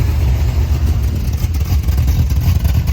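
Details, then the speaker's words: 1972 Dodge W200 Power Wagon V8, first run in years, around 40 PSI oil pressure, little smoke: deep steady fast idle never settling to a slow lope; idle cam stuck on its top step. "Too much soak? Yeah, it's not coming down. It's like wide open right now."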